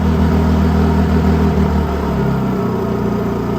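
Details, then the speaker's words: Honda EU32i fuel-injected generator on its first start, which started easily with Eco mode on and no load: a steady, even low hum with a smooth beat that eases down slightly, no misses. Normal, healthy idle. "That's pretty fast. It started really easily. Okay, so it looks like it started with Eco mode on."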